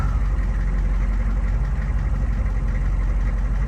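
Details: 2004 Hummer H1 6.5 turbo diesel idling after a start with a new PMD and heatsink fitted following PMD failure: even, deep rumble holding a steady low beat, no misses or surging. Normal, healthy idle.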